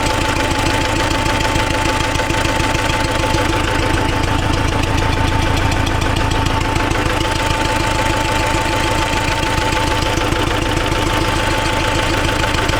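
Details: T-40AM tractor diesel idling after a month standing in about -14°C cold, decompressor used at start; sharp regular knock about 200 per minute over the idle, a hard internal engine knock; owners plan to pull all cylinder heads to check inside.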